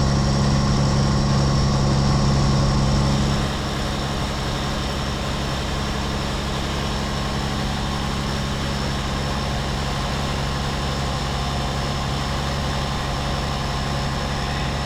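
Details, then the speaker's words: Rebuilt 8.3 Cummins diesel in a Case IH 2366 combine on first start, straight pipe: loud, uneven idle for first seconds, then settles to a steadier, smoother beat. "yeah it sounds good to me like it was it was choppy a bit at first I meant it smooth out"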